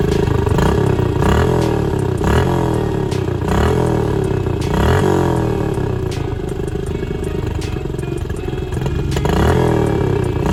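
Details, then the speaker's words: 2014 Honda CRF125F single after cam chain timing was corrected, revving freely but with a dry metallic clatter growing with each blip; cam chain very loose, smoking badly, needs a top-end rebuild. "now it runs great revs up like it should but it's going to need a full top hit rebuild it's smoking pretty bad and the cam chain is super loose"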